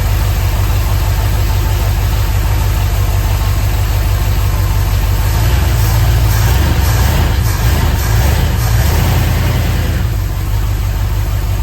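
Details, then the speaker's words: 1976 Ford F100 with a freshly installed 351C V8, first fire-up on break-in: deep rumble with a slightly uneven, lazy idle, no knocks or ticks; ignition timing is set a little low (retarded) and needs adjustment. "I did see that we are going to have to adjust the timing a little bit. It is a little bit low, which I expected that."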